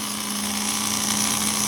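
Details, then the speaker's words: Whirlpool automatic washer under test: drain pump runs with a steady whirring hum, constant pitch and some rattle, pumping out water; noisy but working, with actuator and motor also confirmed functioning. "bueno aquí si funciona nuestra bomba de agua el actuador funciona movió el motor y las electroválvulas también son casi sirve"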